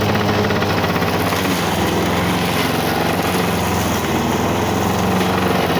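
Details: 1985 Lawn Boy 7350 two-stroke mower, revived after years outside, cutting weeds and brush; even buzzing drone under load, no misses or knocks, speed a touch low; owner says good running, may need RPM adjustment.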